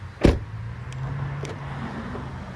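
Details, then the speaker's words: 2008-2012 Acura MDX during DIY key fob programming (ignition on/off, press unlock repeatedly): the door lock actuators give short, crisp clunks as the car unlocks and locks. The doors had to be closed to lock. Locks working normally. "And you guys hear that click? Now look. Well, he unlocks the car, but it doesn't lock it."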